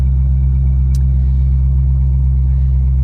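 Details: 2001 Chevrolet Corvette Z06, 146K miles, V8 idling cold after start: steady, even low rumble with a smooth regular beat, nothing knocking or ticking; healthy, oil pressure 46 psi.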